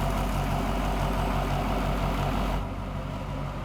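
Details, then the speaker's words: Freshly built LBZ Duramax diesel (1000hp build) in a Camaro idling just after first start: steady even low rumble, smooth regular beat, no knocks or ticks, shaking the ground; normal idle. "It sounds great. It's shaking the earth and idle. Dude, for real. It's standing here shaking, just like, oh man. It sounds great."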